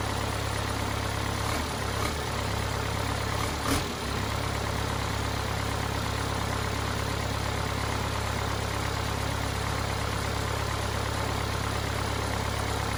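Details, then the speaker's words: Cummins 4BT four-cylinder diesel in a Power Wagon, first run since 2015, new filters, temporary battery, 8 psi fuel pressure; settles into steady even low idle clatter, a couple of brief bumps early, no misses or knocks: normal idle. "well i never doubted that it would start and run perfectly but it was really good to hear it"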